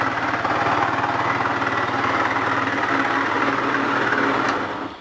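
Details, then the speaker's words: GY6 four-stroke scooter, air-cooled: loud rattly idle with a steady knocking beat about four per second under the engine note; worn big end bearing. "she's running now and it's just very noisy it's weird it's not like a specific noise you know this is general like a credible engine noise it's really loud"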